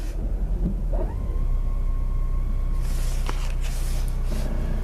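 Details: 2018 Ford Fusion, 6F35 transmission, about 23,000 miles: low engine rumble with a steady whine near 1 kHz in Reverse and Drive that goes away in Park and Neutral; suspected stripped torque converter stator, converter not yet pulled.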